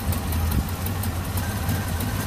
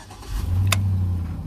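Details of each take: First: 2005 Chevy TrailBlazer that sometimes won't start and shakes when running: low steady idle drone, then briefly sags and nearly dies near the end; intermittent stall from a failing ignition switch. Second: 2005 Chevy TrailBlazer after no-start diagnosis: short crank, engine fires promptly and settles into steady low idle; now starting normally.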